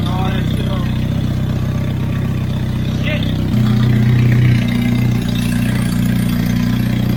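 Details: Turbocharged Hyundai Genesis first full start in a long time, during HKS Super Coolant fill and burp after coolant flush; loud raspy idle with a brief rev blip and unmuffled roar, because no turbo wastegate is fitted; new thermal coating burning off.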